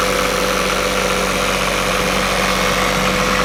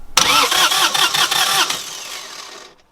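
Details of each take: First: Northern Lights 12kW diesel generator heard from the deck above after the new cylinder head was fitted: steady, even hum with no knocks or hunting. Quieter and smoother than before, possibly from new injectors or a formerly leaking valve seat. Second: Northern Lights 12kW diesel genset after cylinder head replacement and valve adjustment, bleeding fuel system: starter cranks with even chug about 2.5 beats/sec, no firing, because fuel solenoid is off so only starter engages.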